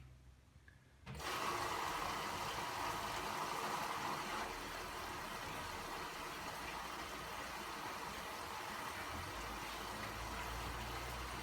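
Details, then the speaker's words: 2015 Bosch Classixx 6 Varioperfect WAE24167UK/47 washer, motor previously not turning with spin-light error, test quick wash after motor commutator and brushes work, empty drum: valve clicks and steady rushing water fill; normal. "i don't know if i've turned on the water now oh there's the water coming in i haven't put any laundry in it silly me"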